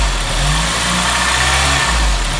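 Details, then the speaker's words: Honda Civic Type R EP3 started after about a year parked: warm idle hunting, hum drifting up and down instead of holding 1000 rpm, because the idle control valve is seized and needs cleaning. "so at the moment it's mounting because the motor wasn't spinning"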